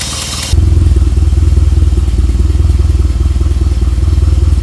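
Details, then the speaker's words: Miata with new turbocharger just fitted, first start, ECU connected: catches and settles straight into a deep, steady, even idle with no misses; sounds healthier than ever. "okay this car never sounded so healthy before to be honest"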